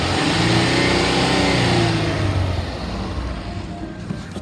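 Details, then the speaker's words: 2015 Ford Taurus Police Interceptor AWD, 3.5 L V6, 45,000 miles, warm after over an hour running: engine revs up smoothly and winds back down evenly with no knocks or misses; healthy engine. "I'm gonna rev it up so you could hear the motor the motor sounds good"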